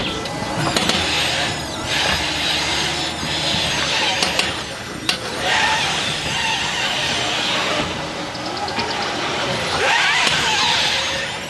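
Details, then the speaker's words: Jeep Wrangler JL 4xe, slow-speed turns with shifting weight on front suspension: dry, high drawn-out creaking groans from the front end; not considered normal, owner suspects loose ball joints, unconfirmed. "the next noise is this creaking now you notice it uh usually at slow speed turns or there's different weight on the front suspension left to"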